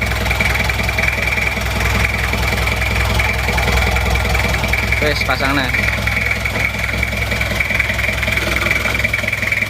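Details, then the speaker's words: Toyota Kijang LGX diesel after valve clearance adjustment (one shim replaced), idling before air filter refitted; previously bok-bok puffing at intake. Steady, even diesel clatter with no valve tapping; noise gone, smooth and regular, normal idle. "sudah tidak bunyi suaranya sudah halus rata"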